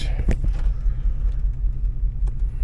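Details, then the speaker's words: 2004 Hummer H2, LQ4 6.0L V8, 4L60E, donor vehicle test before part-out: deep, lumpy idle with uneven beat and occasional stumble; slight misfire at idle. "got a little miss to it. 262, 266."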